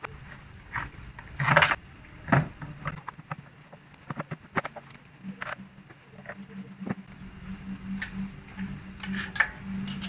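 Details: Suzuki Skydrive Sport 115 FI scooter: irregular metallic clinks like dropped coins over a low idle hum; noisy rattling starter assembly, a known Suzuki trait also on Nex, Address and Crossover.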